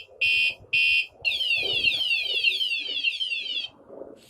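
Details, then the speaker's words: wsdcam 113 dB wireless vibration motion sensor alarm on a motorcycle: after a bump chirps a warning, then repeated movement trips a loud warbling siren sweeping up and down, audible around the neighborhood; stops about 30 seconds after disturbance ends. "now let's say you just moved it another warning and you move it again and I can hear this all around the neighborhood too so it's it's Extremely Loud"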